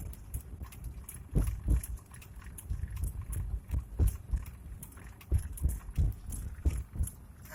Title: Rough Idle Ford Explorer